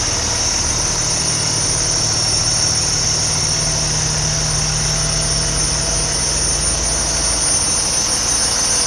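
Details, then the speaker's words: 2013 Kenworth T680 tractor in great shape, clean start: loud steady diesel idle, even low rumble with a constant high hiss, no knocks or misses; healthy normal idle. "Again, this unit's in great shape. I'm going to start it up and we'll take a look under the hood. Nice clean start."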